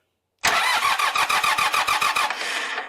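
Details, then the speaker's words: Montana 4540 tractor in neutral, brakes locked, fuel pump unhooked: starter cranks at about three and a half uneven compression pulses per second, laboured, with the reading dropping low; slow cranking, cause unconfirmed though the battery later tested good. "Y'all see how LOW THAT DROPPED? YEAH. UM EVEN though it's turning over, I uh I don't like how low that's dropping down."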